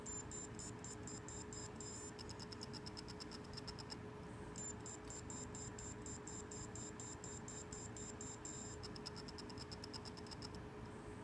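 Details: WD hard drive plugged in after being dropped, not recognized by the computer; faint, fast high ticking chirps in repeating bursts with short pauses; drive beeping, cause suspected but not confirmed.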